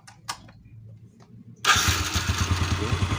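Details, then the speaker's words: Jupiter motorcycle, conventional starter, after loose electrical connections were cleaned and tightened and roughly 50 A supply was shown to turn it. On the third starter attempt: light starter whir, then it catches at once and idles evenly. "enteng dan langsung nyala sekali lagi oke enteng lagung nyala kita onkan dulu oke kita starter ini yang ketiga kali kita starter Oke ini nyala"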